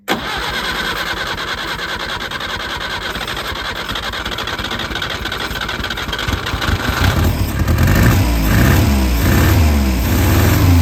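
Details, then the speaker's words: Peugeot 403 pickup: engine catches and settles into an even, slightly rough idle, then a couple of smooth revs; running again. "Ah, notre mém mère là, elle reprend. Elle reprend goût à la vie."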